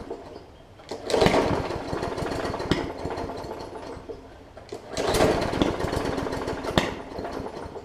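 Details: Hyper Tough Briggs & Stratton OHV push mower with a plastic carb, left unused over winter with water in the fuel; two ragged half-catches popping unevenly between pulls, likely water on the plug too.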